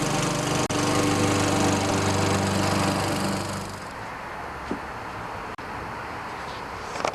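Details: Toro self-propelled mower, 6.5 HP Tecumseh engine, after carburetor cleaning (bad spark plug and old fuel blamed): runs at a smooth, even pace for a few seconds, then fades; sounds healthy.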